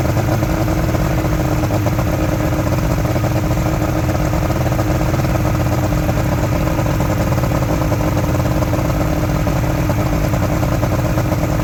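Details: Outboard motor from a junkyard Ebb Tide bass boat, steady even two-stroke idle, no misses, knocks or rattles; owner says it runs really good and will keep the engine; normal idle.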